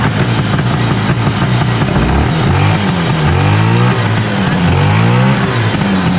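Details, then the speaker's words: 1970 Herter's Husky 440cc Sachs twin two-stroke snowmobile, weak intermittent spark on one side: note stumbles and surges, hit and miss at idle, firing better when revved up; intermittent misfire, points/condenser suspected. "it was better though it was a little bit better it was hit and miss though oh for sure once you round it up a little bit it started to hit right and then nothing when it was idling"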